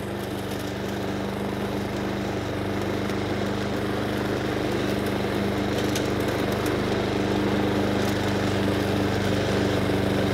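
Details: Honda Harmony II HRS216 lawnmower after carburetor service and tune-up, warm, at low idle: smooth, even putter with no stumbling or surging; engine now fueling and running properly.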